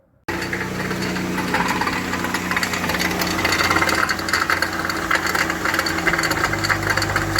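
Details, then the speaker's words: 2019 Dodge Grand Caravan, 109,000 miles, sat several months, dealer claimed transmission needed: in drive with car elevated, loud uneven metallic clatter over steady drivetrain hum; actually broken inner CV joint, cage broken and balls fallen out, splines intact. "everything broke so the balls just came out so the splines didn't break like I thought they did cage broke balls fell out and everything got all Dory in it"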